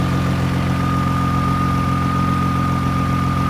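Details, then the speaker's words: 2000 Toyota Sienna with about half a million miles, hail-damaged salvage: steady even idle with smooth low hum and a faint constant accessory whine, no misses or knocks; runs flawless and goes into gear forward and reverse. "it's running flawless like absolutely flawless guys I don't I I have absolutely no use for this well listen to this it's perfect"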